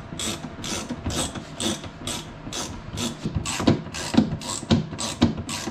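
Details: 2015 Tesla Model S rear hatch with a newly installed cinching actuator: repeated ratcheting whirr-clicks about twice a second as the gear motor pulls the latch closed; repair successful, actuator working normally.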